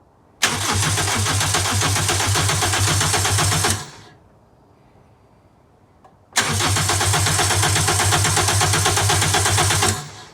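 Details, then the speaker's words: Celica GT with a GT-S engine swapped in (2Z), cranked on a borrowed good battery before its first start to build oil pressure; two healthy three-to-four-second cranking bursts at a steady rhythm, with no start yet. "he's gonna go ahead and crank it a couple of times build up oil pressure"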